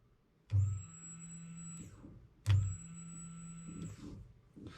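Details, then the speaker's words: 2011 Coyote engine swap, fuel pump hardwired to constant power with the relay bypassed, priming test: two runs of about a second and a half, each a steady high whine over a low hum; normal fuel pump operation. "I think we're looking pretty good. Could hear that pump kick on."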